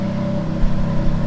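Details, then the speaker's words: Ferrari F430 converted to manual, engine running in gear with a steady tonal hum near 550 Hz. The noise is speed-dependent and occurs in any gear but not out of gear with the clutch released, so the transmission is suspected rather than the throwout bearing; the car is also hard to shift into gear. "who that has a weird ass sound that's speed dependent you have it in gear and have"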